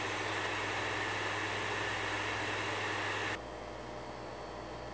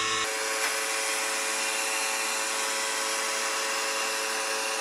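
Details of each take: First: PS5 Slim console, a normal unit for comparison: smooth, steady, airy fan hiss at two levels with no buzzing, grinding or rattle. Normal fan noise. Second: PS5 Slim console: steady high rough buzz with several fixed tones, never changing pitch, from either the detachable disc drive or the cooling fan; common defect, exact source unconfirmed; loud buzzing.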